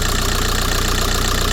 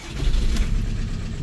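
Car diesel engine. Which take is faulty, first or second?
second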